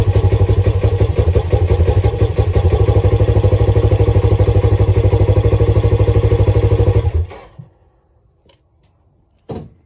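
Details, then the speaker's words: Polaris RZR XP4 1000 first cold-weather start after replacing factory cam chain tensioner with Tusk automatic tensioner (previously loud knocking for ~10 s on startup): even, regular idle about seven seconds, no rattle or chain slap. "there you have it just like that rattle noise gone it was literally probably a 20 minute process and we had this thing up and running sounding like new"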